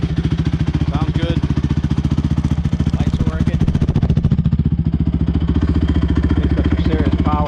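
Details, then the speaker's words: Rebuilt Honda TRX 450ER single-cylinder quad ridden up the street under load, pulling through all the gears with an even steady thump, no misses or knocks; normal running. "all right guys it's all done right up the street goes through all the gears runs nice"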